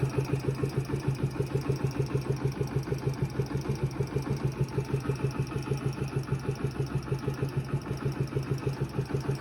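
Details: Yamaha Factor YBR 125 K1 idling: a quick, regular ticking pulse of about three beats a second over a low hum. The owner says it is not the tappets; the source is unclear. Engine noise.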